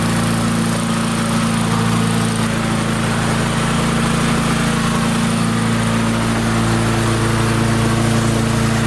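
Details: Barn-find Murray push mower, Briggs & Stratton engine, on the bench after adjustment, air filter off, targeting about 3400 RPM: steady, even high-speed drone with no surging or hunting, stable governed speed; normal running, and the engine brake worked at shutoff.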